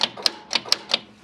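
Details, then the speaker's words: Case 580K backhoe starter gives five sharp clicks in about a second with no cranking, after cranking ever slower below about 35 degrees despite new batteries; starter failed and is being replaced. "so all it's doing right now is just clicking uh it was kind of turning over a little bit a while ago so yeah it's not even turning over now just clicking that thing just toast"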